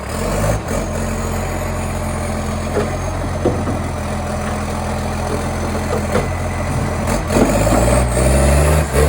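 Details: Canada Bay garbage truck SL780, a Euro 3-style Euro 5 facelift diesel, idling then revving: an unusually loud, raspy puffing that swells with the revs, from an exhaust pipe leak that was later fixed.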